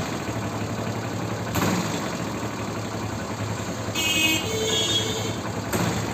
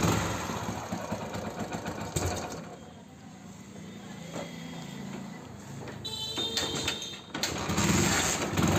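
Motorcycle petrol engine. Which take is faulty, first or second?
first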